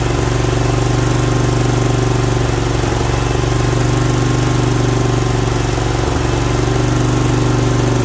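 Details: Briggs Vanguard V-twin running with the choke held up by hand because it keeps falling. Steady, even beat at a fast idle, firing cleanly with no misses or knocks; healthy, normal running.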